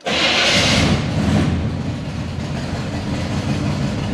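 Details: Chevy K10 pickup cold start: catches at once with a loud rush, then settles into a steady, even fast idle with the choke plate working well. Healthy cold start.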